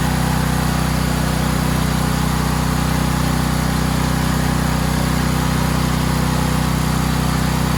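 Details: Valsi generator's small single-cylinder engine, with its own stator charging the battery, on a final test run, started with choke and push-start: a steady, even drone at constant speed with no hunting or misses, running healthy.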